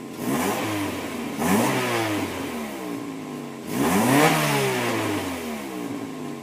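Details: Acura Integra GS-R at its second start after an engine rebuild: clean free revs that climb and fall smoothly, returning to a steady idle with no knocks, rattles or misfires; normal running.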